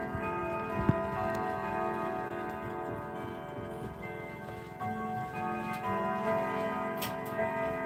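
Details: Grandfather clock about 7.5 ft tall chiming Westminster: steady, even tick under clear ringing chime tones. It is striking and running normally.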